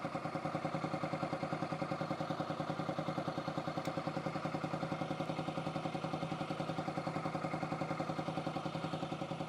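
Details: 2008 Yamaha XT125R Big Wheel, stored 12–15 years, carb cleaned, new battery: quiet, even single-cylinder tick-over about three and a half beats a second, steady; normal idle, multimeter showing 14.74 V charging at tick-over.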